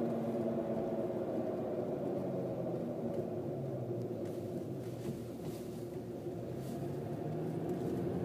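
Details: Mercedes W163 ML engine running: even hum with a faint steady whining tone above it, pitch unchanged throughout; accessory whine, source not identified.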